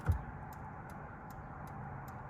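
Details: 1972 VW Super Beetle after replacing all bulbs, turn signals with headlights on: crisp, even ticks about every 0.4 seconds over a quiet hum; flasher relay working normally.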